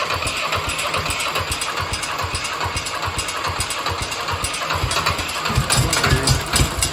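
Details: Mitsubishi D1800 II diesel after replacing the cracked cylinder head with a used one, valve clearance 0.015 in, at about half throttle with exhaust stack and muffler: even, steady clatter, no knocks or misses; running healthy.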